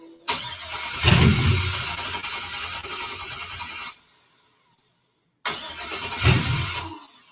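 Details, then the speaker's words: 1963 Pontiac Grand Prix with swapped GM LS engine, first start: starter churns, one brief flare then dies, second try same, never idles; owner suspects a small electrical fault such as temporary grounds; cause unconfirmed. "this is the problem with electronic stuff it's going to be one little thing that throws everything else off and if I could fix it then it'll run"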